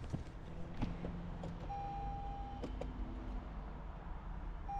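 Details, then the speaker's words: 2023 Toyota Camry Hybrid from auction that would not show ready, after reseating an open interlock connector: quiet cabin, a couple of short clean beeps and steady chime, no fault warnings; system comes up ready normally. "yep and it's ready so that was the whole thing"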